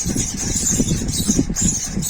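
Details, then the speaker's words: Ceiling fan running: thin high chirp repeating about twice a second over low hum, like mice squeaking; caused by jammed bearing letting the shaft rub. "तो देखा दोस्तों आपने इसमें जैसे चूहे चहचहा रहे हैं उस तरीके की आवाज आ रही है दोस्तों तो इस तरीके की समस्या कब आती है जब हमारे पंखे में बेयरिंग जाम हो जाए और जो इसकी तापट है वो रगड़ करने लगे तो ये दिक्कत आती है दोस्तों।"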